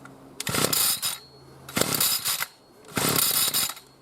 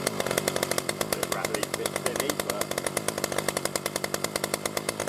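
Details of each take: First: B&Q 25cc two-stroke petrol strimmer, new, just started after six primer pumps: shrill revving bursts about every 1.5 seconds with quiet gaps; screechy running before choke opened. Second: New B&Q 25cc petrol two-stroke strimmer after 3–4 primer pumps, getting fuel through: a rapid, even buzzing beat of about eight pulses a second, holding steady with no misses. Normal running.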